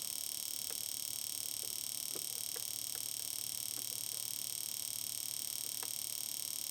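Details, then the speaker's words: Fuel injector driven by AllSun EM276 injector tester in mode 4, continuous operation: crisp, evenly spaced ticks at about two and a half per second, none skipped; injector cycling normally. "so I'll freeze that and then switch it off so here you go uh you can see that uh in mode Number Four The Continuous oper operation mode the injector is just going to sit there and pulse away until you stop it"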